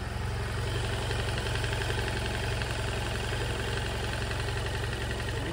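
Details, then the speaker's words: Motorcycle at idle, about 80,000 km, with a dry fast metallic rattle that began subtly and grew with mileage; owner suspects cam chain, mechanic says probably the chain tensioner; not confirmed. "Ce bruit a commencé lorsque la moto avait environ 80 000 km, ce bruit a commencé de manière très subtile, de temps en temps, et l'intensité a augmenté au fur et à mesure du kilométrage"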